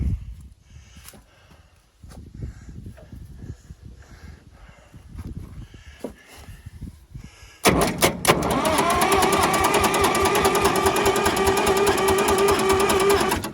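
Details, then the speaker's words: Massey Ferguson 200 crawler loader, three-cylinder Perkins diesel, new battery, cranked at starter solenoid; about eight seconds of steady rhythmic cranking, never catches: crank no start, cause unknown. "let's give it just a little whiff nothing going give it one more try not any not any sound at all with ether"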